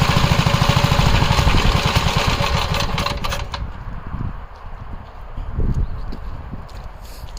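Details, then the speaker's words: 1961 Gravely L tractor after governor replacement (one linkage rod slightly bent): fast, even single-cylinder thumping that eases to a lower steady speed; the new governor is holding speed properly. "But I could clearly hear the Govenor working properly now."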